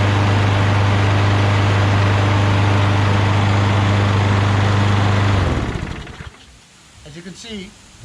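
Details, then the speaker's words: Craftsman push mower after draining overfilled oil, clearing debris from the air filter base passage, cleaning the carburetor and adjusting rpm; previously smoked and ran rough: steady even single-cylinder drone, no misses or surging. Finding: normal running. "much smoother so it was just a little bit of debris in the canal of the air filter base so that air and fuel flows freely through that area now that runs very smooth"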